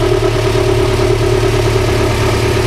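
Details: Steady, even idle with a smooth low hum and no knocks or misses on an EG Honda Civic, with base timing checked at 16 degrees before a new distributor is installed to pass emissions.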